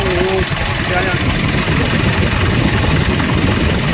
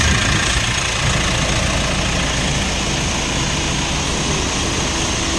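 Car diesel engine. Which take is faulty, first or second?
first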